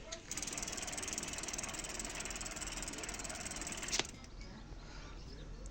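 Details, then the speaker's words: Bicycle rear hub while coasting: fast, even run of light ticks, the crisp pawl clicking of a healthy freewheel; this sound means the bike is in good health. "Si vous l'entendez, c'est que votre vélo est en santé."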